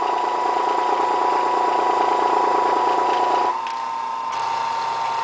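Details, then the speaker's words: Electric motor driving a Bosch Thermo King alternator on a test rig, regulator bypassed, field coil wired straight to battery: steady hum with thin high tone that sags abruptly as charging load comes on; normal motor bog under alternator load. "when the feel coal is energized you should be able to hear the electric motor bogged down as it tests power the alternator"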